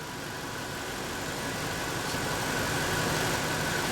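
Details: 1997 Ford F150 4.6L with code P0402 and earlier low, poor idle, after cleaning the filter and finding the EGR system functioning: smooth, steady idle with an even low hum and no misses or knocks.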